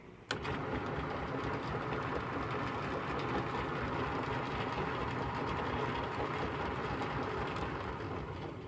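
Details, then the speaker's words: Atlas/Craftsman 12x36-inch metal lathe of unknown year, lead screw engaged in the forward direction at lower RPM: quiet, even mechanical whir with a soft steady rhythm and no knocks or grinding; it sounds smoother than many better-looking machines. "unlike a lot of apparently better-looking machines this one actually sounds a lot smoother when the lead screw is engaged of course we are at a lower RPM"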